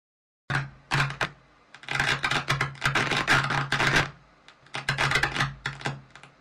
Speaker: треск а обычно являются старые изношенные потенциометры тут поможет только их замена временной мерой может быть смазка